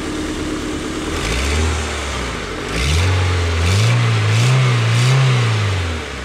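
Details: Honda Civic four-cylinder after rod knock repair (new half main bearings and one rod bearing cap): smooth pull-up through two throttle blips, even roar rising and falling with no knock; sounds healthy.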